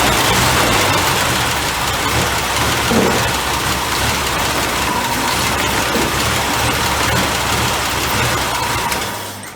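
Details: 1983 Jeep CJ5 with a new carburetor, before fitting new plugs and wires and adjusting idle mixture: loud, uneven, loping idle about three or four pulses a second. Owner says it is not firing on all cylinders.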